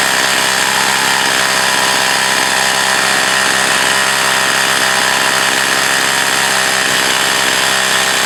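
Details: Echo CS 4500 chainsaw after carb rebuild and slight high-speed needle adjustment, possibly years of storage: a loud, even high-revving buzz holds its pitch through the cut without stumbling; it now runs and cuts well.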